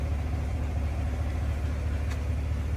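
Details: 2015 Cadillac Escalade LS V8 after a cam, pushrod and lifter replacement with a DOD/AFM delete kit and PCM reprogramming: steady, even low idle with no tapping or ticking and no misfires. Engine tapping fixed.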